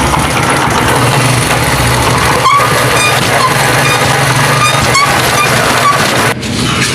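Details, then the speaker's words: Honda CD 70 motorcycle, engine running in first gear; loud rough continuous rattle, worst under load, lighter in other gears, as if gears catch inside; suspected broken part in the gearbox, needs engine teardown to confirm. "तो जैसा कि आपने इसकी आवाज सुनी इसकी आवाज ऐसे आ रही है जैसे इसके गेर गिरारी अंदर से अटक रही हो किसी चीज के साथ अटक रही हो"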